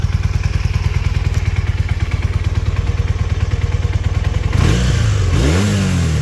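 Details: 1981 Honda CM400, revived after sitting since 2000: steady, even low idle thump, then a clean smooth rev that rises and settles without misses or knocks; pulls great, runs great. Normal running.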